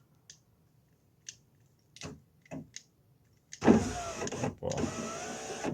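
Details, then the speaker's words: VW Polo after repairing the door wiring for the electric windows, tested on a temporary switch: a few switch clicks, then the driver's window motor runs down and up with an even, strong whir and no binding or grinding; the window works properly. "Lejā. Viss notiekās."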